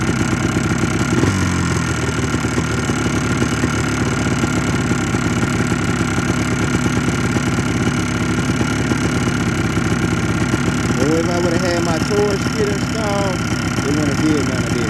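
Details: 2004 Yamaha Blaster two-stroke ATV idling with a fast light knock over its rattly beat; piston slap suspected, top end rebuild planned.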